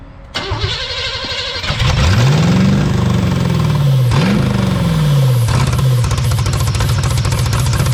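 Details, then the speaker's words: 1983 Buick Estate Wagon, not run in 30 years, new spark plugs, wires and fuel pump fitted: brief cranking catches, then revs surge and sag unevenly and it won't stay running; old fuel suspected, cause unconfirmed. "So as you can hear, it just doesn't want to stay running at all."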